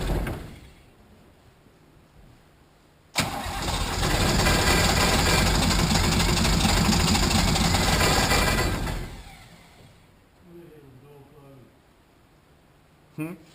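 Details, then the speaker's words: Nissan 33SD turbo diesel in a 1980 International Harvester Travelall, after oil, fuel and air filter service: starter cranks, engine catches roughly for seconds and dies; air in fuel system, bleed screw needs cracking and priming again. "We might have to crack that bleed screw again and prime it some more."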